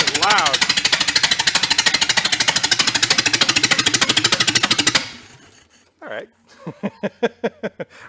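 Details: 1931 Ford Model A pickup, a barn find that sat for decades, on an early run: loud, harsh barking at roughly three pulses a second, then dying away. The owner suspects the muffler and plans to blow it clear and refit the pipe. Cause unconfirmed.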